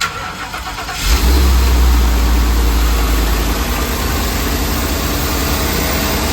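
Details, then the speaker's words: Ford 7.3L Godzilla V8 after an engine swap for failed lifters; codes cleared and the unplugged air filter sensor reconnected, so it no longer chokes. It catches at once and settles into a steady, even idle with no misfire. Normal idle. "But now you can see it runs a little bit different. All it was that air filter sensor unplugged. And you see the difference? Now it ain't choking no mor"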